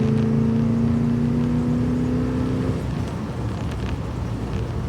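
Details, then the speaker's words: 1978 Ford Bronco 400M V8 after carburetor swap and tuning, manually downshifted into second gear while driving. The engine note climbs smoothly and eases off cleanly, noticeably crisper and more responsive, with no stumble: normal acceleration. "So, if I manually downshift it. So, we got second. Just want to feel how crisp it is. Yeah, that's not bad."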